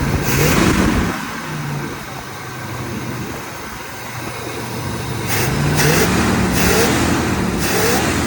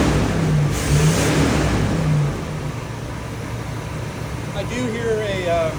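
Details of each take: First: 1978 Chevrolet Corvette V8 test start with new battery, 50 psi oil pressure, warming up: steady, even idle settling lower with no tapping or knocking; slight blue smoke from oil burning off and valve cover gaskets leaking onto exhaust manifolds. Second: 1978 Chevrolet Corvette V8, last on the road in 2012, test start on a new battery with carburetor cleaner in the carb, oil pressure 50 psi: uneven, lumpy beat of about two pulses a second; misfire suspected from one or more plugs or a plug wire, no internal tapping heard.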